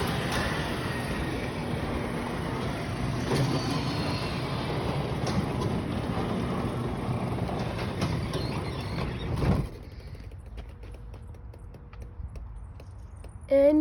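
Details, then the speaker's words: Garage door travelling, heard louder from inside: a continuous rough rumble and rattle that stops abruptly at the end of travel, coming from a roller; a worn roller grinding in its track. "you can hear that noise you can hear it louder inside that sound is mostly coming from the roar that is over there"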